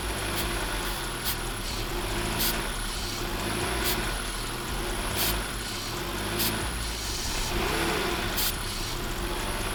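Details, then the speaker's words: 1995 BMW E36 325i idling at about 3000 rpm: fast raised idle with steady rush and periodic sharp hisses while throttle body cleaner is sprayed; unmetered air through a cracked intake boot between throttle body and MAF causes the high idle. "it's causing a lot of an idle issue up to a very high idle issue we're idling at 3000 rpms that's all because of those cracks in the boot"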